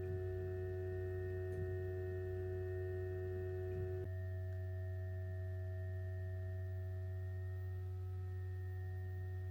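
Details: Two GoodWe Lynx Home D 5.0 batteries (10 kWh total) in a basement: cooling fans give a loud steady tonal hum of 43–45.5 dBA shortly after charging or discharging starts, even at 1.5 kW. The datasheet specifies 35 dBA.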